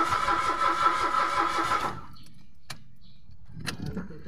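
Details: Mitsubishi Mirage automatic: a steady starter churn at about three beats a second for two seconds, then silence, never catching. No fuel was coming out of the pump; the crank-no-start was traced to bad relays.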